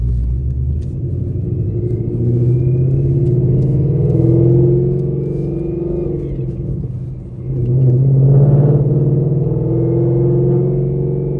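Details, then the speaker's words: 800 whp Ford Mustang GT with a Calimer stage 3 transmission with straight-cut built gears, POV drive: a faint steady high whine over the road rumble at light cruise throttle; normal straight-cut gear whine, not a fault. "what do you guys think about the gear one it sounds pretty sick don't it listen to it it sounds like him Black's car"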